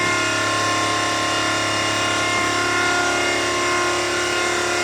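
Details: V8-swapped Mazda RX7, engine off: constant, loud high-pitched hum without pulsing as the electric fuel pump primes the fuel system. Normal priming; no leaks after the loose fuel pressure gauge fitting was tightened.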